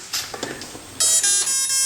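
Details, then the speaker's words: SC10 RC truck ESC entering programming mode: powered on with the ESC button held. Soft clicks, then a bright steady electronic tone; normal calibration entry beep before setting throttle neutral and maximum brake. "Power on, throttle control back to neutral. You'll hear that. Then throttle position to maximum brake."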